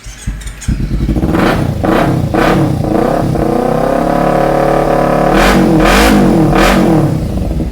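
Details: 2016 Kawasaki Ninja 250 FI, fuel-injected twin, 24,000 km, stock sealed engine: clean even revving through several throttle blips, no knocks or rattles, healthy engine.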